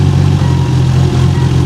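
Deep, loud idle with a slightly uneven, loping pulse in the low rumble, the typical sound of an aggressive performance cam.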